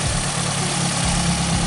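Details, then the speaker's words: 1994 Toyota Celica GT after a fuel pump replacement: a steady, even low idle rumble with no misses, surging or stumbling. The engine keeps running on its own. "So yeah, she's still running. I'm gonna let her run on her own power for the next couple of minutes."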